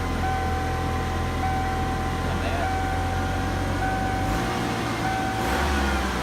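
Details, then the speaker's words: 1992 Ford Mustang four-cylinder (owner says 3.0 liter), 73,000 miles, transmission iffy in gear; even, steady low idle hum with no misses, knocks or rattles, purrs like a kitten: normal idle. "It purrs like a fucking kitten."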